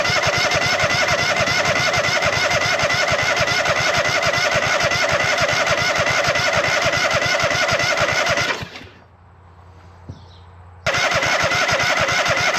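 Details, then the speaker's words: Hustler zero-turn mower with swapped V-twin engine, new carburetor and fuel pump, first start: small engine fires, holds a steady even rhythm, cuts out briefly, catches again at once; normal running. "No. She runs. Holy smokes."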